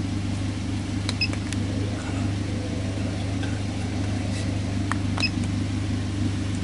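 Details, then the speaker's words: Idle of a 2010 Toyota Avanza with scanner readings of speed 0, battery 13.7 V and VVT 0.0°. Smooth, even low idle hum with no knocks or misses; healthy warm engine at normal idle. "Ini adalah data-data dari kondisi mobil Avanza ini saat putaran idle."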